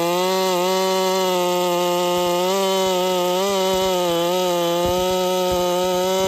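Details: Holzfforma 372 chainsaw with big-bore kit, heavy porting and machine work, ignition timing advanced: high buzzing run with a wavering note and a few pops, never revving out cleanly; timing suspected too far advanced, to be reset to stock.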